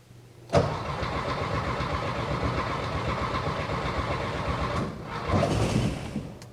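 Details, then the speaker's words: First start of a new 1600cc engine in a 1968 VW Karmann Ghia, replacing one that spun a main bearing: it cranks, catches and runs with an uneven, lumpy, stumbling beat; rough running, owner suspects ignition timing set too far back. "well she's coming oh let me check timing can't be that far off it's hitting like it's um well time's off maybe a timed it too far back"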